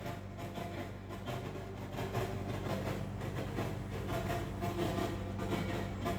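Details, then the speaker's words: Newly bought Elgato HD60 X capture device produces constant irregular crackles and pops over a steady low hum and tones in its audio output. Switching to analog audio input was also tried. "so i have a problem with this elgato hd60x that i've just bought so here's the problem there's a crafting sound"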